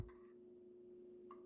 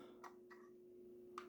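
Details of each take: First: Jaguar XK8/XKR centre console cupholder lid, console removed, after lubrication: lid now opens smoothly but gives a single light plastic tick at full open as the lid bottom strikes the cavity bottom; a felt pad is considered as a fix. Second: Jaguar XK8/XKR centre-console lid (cupholder/cigarette-lighter compartment), spring-opened with a latch, after lubricating mechanisms that had no visible grease: soft clean latch clicks over a faint hum, no squeak or grind. Lid now operates smoothly and quietly, unlike before.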